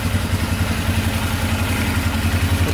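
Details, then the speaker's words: Polaris Sportsman 500 4x4 ATV, bought cheap with a plow, first start after fixing its no-spark problem. An even single-cylinder thump at a steady idle, no knocking or misfires; it idles perfectly. "that is amazing it's idling perfectly no knocking at all sounds really"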